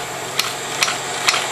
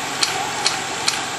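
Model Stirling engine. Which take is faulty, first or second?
second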